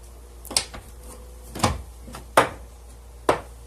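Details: 2005 Toyota Sienna door before repair: sharp, hollow pops while opening and closing, from a worn door check strap; fixed by replacing the door check assembly.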